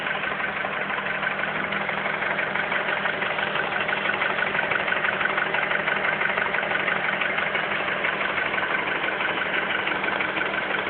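A steady idle with a regular knock about twice a second riding on it; the cause is not clear by ear.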